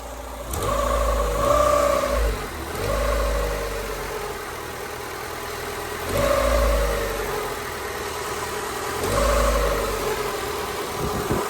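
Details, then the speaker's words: Honda Civic EK hatch D16Y7 after a head gasket, water pump, timing belt and seals refresh; whine rises and falls with revs, plus a click on rev. Owner suspects the timing belt is too tight and the power steering belt too loose. "I think I might have the timing belt a little too tight. Kind of sounds like a little resistance."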